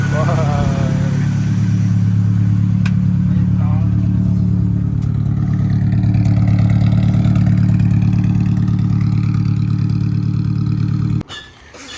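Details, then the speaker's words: Z-series engine in an old minitruck, sat about four years, running after fuel bowl cleaning and new fuel pump: steady even low idle, no valve noise, knocks or chain rattle. "i'm surprised that it fired up and it ran that easy and i'm also surprised that i didn't hear any valve noise i didn't hear any weird knocks"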